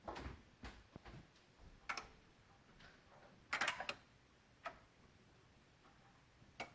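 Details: 2016 Honda Odyssey, engine off, silent cabin: quiet irregular sharp clicks from near the PCM and VSA control module, with Engine, VSA, LDW and FCW warning lights on; electrical clicking of unknown cause.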